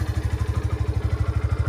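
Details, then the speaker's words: Yamaha FZS-V3 motorcycle at about 31,979 km: low even beat of about twelve pulses a second, no knock or rattle; idles smoothly. "যে sound আপনারা শুনতে পাচ্ছেন viewers. আমি যদি এই এক্সস্টটা বন্ধ করে দিই তাহলে আমার ইঞ্জিনের সাউন্ডটা দেখেন, খুব বেশি একটা নয়েজ কিন্তু নাই।"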